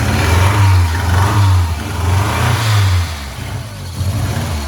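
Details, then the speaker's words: 1987 Ford Sierra Cosworth four-cylinder, first start after 3 years in storage: uneven, lumpy exhaust beat revving and settling to idle, cylinder number 4 not firing even after swapping plugs. "Still number 4. That's still number 4."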